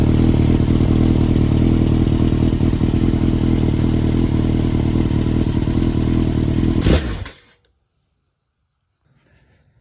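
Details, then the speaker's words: 22-year-old Honda CBR954RR Fireblade (900) revived after sitting for months, with wiring repaired and spark checked: strong, crisp revving with an even firing beat that climbs cleanly and drops off sharply at shutdown. Healthy engine; it earlier backfired and shot flames. "she sounds pretty mean I like that exhaust that's on it"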